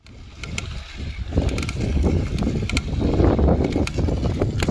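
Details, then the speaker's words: Bicycle being pedalled outdoors: sharp dry crackles repeat with each pedal stroke over wind and tyre noise, pointing to a creak from a loose bottom bracket cup that needs servicing. "в начале видео вы слышали что были такие похрустывание именно когда крутишь педали"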